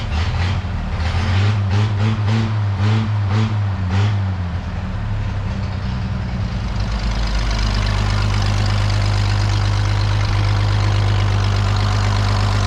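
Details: 1932 Chevy truck "Rockabilly Rat" after a tune-up, running like it used to: after some early noise a steady, even low note settles in with no misses or stumbles; normal running.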